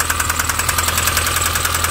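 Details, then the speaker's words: Mini One R50 1.6 16v 90hp, cold engine, hard to start: fast, even metallic ticking about ten to eleven a second over idle, likened to valves touching the piston; injection checked fine; slack timing chain rattle from hydraulic tensioner. "donc là là nous sommes sur un bruit métallique il m'a dit on dirait une bi ouais comment dire les cubeurs ou les les soupapes qui touchent le piston"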